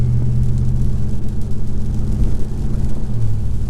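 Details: 2019 Ram Rebel V8 with an aftermarket Carven exhaust at about 53–55 mph light cruise: a deep, steady low drone while MDS cylinder deactivation runs on half the cylinders.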